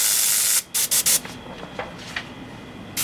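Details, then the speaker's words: Airbrush at high air pressure with paint too thick: steady hiss breaks into choppy, intermittent stuttering bursts when paint is pulled, and paint barely comes out; sputtering from overly viscous paint. "Mas você percebe que quando está fazendo esse som meio repicado, não está um som liso, quando eu puxo a tinta, é característica de tinta muito grossa. Um som intermitente, repicado, né?"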